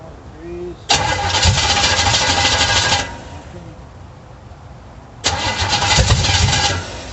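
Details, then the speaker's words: 350 V8 in a 1937 Dodge Brothers, first start: two harsh bursts of ragged firing with sharp pops, barely catching and coughing, backfiring through the carburetor; timing unverified, battery going dead, cause unconfirmed. "Backfiring through the carburetor."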